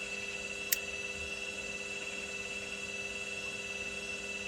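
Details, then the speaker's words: Indesit IWDE126 integrated washer dryer after clean, wash program on spin with no lights flashing: quiet steady hum with faint high whine, no knocking, banging or grinding; normal spin cycle. "And here you can see it's just on a spin cycle."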